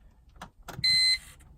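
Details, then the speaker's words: BMW E46 instrument cluster: at switch-off the gauge sticks and gives short bursts of thin, high buzzing grinding whir; owner believes the gauge mechanism has gone bad and the meter needs replacing. "just kind of stays here and make that kind of grinding sound which is an indication that this is pretty much toast"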